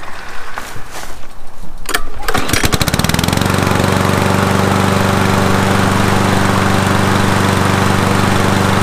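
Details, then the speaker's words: Toro Super Recycler lawn mower after spring tune-up with spark plug and oil change: a few pulls, catches in about three seconds and settles into a steady, even run with no misses; normal running. "sounds like a brand-new lawnmower to me"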